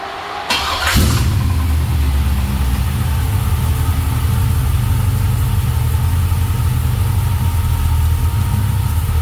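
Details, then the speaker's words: 1978 Chevy Malibu swapped from a carbureted SBC to a carbureted rebuilt iron-block LS 6.0 (505 hp), roller cam and lifters, fresh 5W30 dexos: first start catches within a second into a steady, even low idle, no knocks; later shows 40 lb oil pressure. "this thing still has a roller cam shaft and it roller lifters so that's all that's necessary so we'll start it up let it build oil pressure and then check the"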